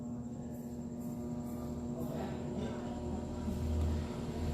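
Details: Arno 40 cm desk fan, dirty and running very slowly: a steady electrical hum as the motor tries to start but barely turns. Worn bushings; the blade also seems loose.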